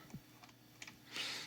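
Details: GW Instek GPC-3020 bench power supply randomly entering output-disable, voltage dropping to zero with CC indicator lit: irregular sharp relay clicks with a brief hiss as output cuts; abnormal intermittent relay clicking.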